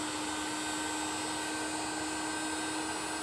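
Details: NASUM hot air charcoal BBQ starter, a replacement unit after the first gave no heat, held close to charcoal in a Weber kettle: a constant airy rush over a steady hum with no rattles; fan and heater are running normally.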